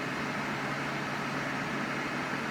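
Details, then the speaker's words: Brand-new Dyson Pure Cool Link Tower air purifier fan at maximum level 10, recorded about 1 foot away on an iPhone: steady even whoosh with a faint low hum, no rattle or scrape; normal fan noise at maximum speed. "yes it's really only four or five I'd say four or five when you can actually notice any sound further away in the room"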